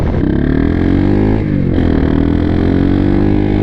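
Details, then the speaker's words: XR150 clone single-cylinder motorcycle at wide open throttle: pulls up, then stumbles and sags briefly before picking up again. Bogging at full throttle; owner thinks it is a carburetor issue, not confirmed. "full throttle, but it seems like it doesn't like full throttle. Yeah, it doesn't like full throttle. See? Wide open. And I wonder, yeah, I think it's just a carburetor issue."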